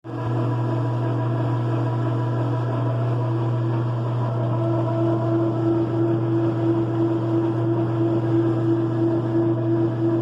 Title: Loud Dryer noise